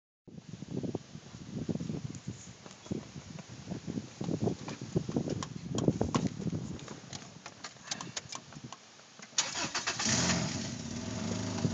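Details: 1997 Subaru Legacy 2.2 4EAT wagon: long uneven cranking, then the engine catches with a loud, raspy puffing exhaust because the weld in front of the second catalytic converter broke clean. Exhaust leak.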